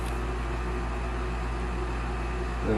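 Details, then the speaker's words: Olsen Ultra Max HDS 90 furnace with a new induced draft fan motor replacing one with bad bearings: the inducer runs at startup with a steady, fairly quiet hum and no bearing growl, much quieter than the old one; normal. "first thermostat calls for heat induced draft fan kicks on which is much quieter than the old one"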